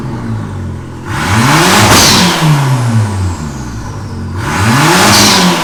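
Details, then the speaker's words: Ford Ka with DIY turbo build running a 1600 ECU, after fixing over-fuelling and overboosting (about a bar of boost before): two clean revs climbing smoothly and falling back with even pull, no misfire or flutter; healthy turbo engine. "yes so the issue was sorted out now it's fueling loads better it's no overboosting it's not going to blow blow itself up"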